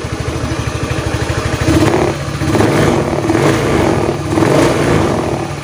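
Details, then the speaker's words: Honda Beat FI eSP after replacing the worn connecting-rod big-end bearing that caused a droning hum: engine revs cleanly through light throttle with no drone, sounding normal. "Oke teman-teman jadi suara sudahah normal ya jadi penyebab tadi bunyi denggung itu kelahar askrknya yang minta ganti itu saya ganti"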